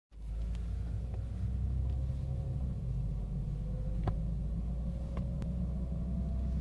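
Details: 2012 Ford Focus rolling slowly in a smooth, freshly paved parking lot: deep cabin rumble with a faint whirring hum at city speeds, worse when slowing and slightly worse turning; same noise with a second set of tires.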